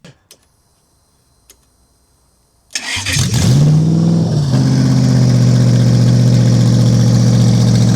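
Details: Toyota 1UZ-FE V8 race car engine, first start in years after owner's own rewiring: starts, then smooth steady deep idle while warming up, revved, much louder when revved; normal warm-up idle and revving.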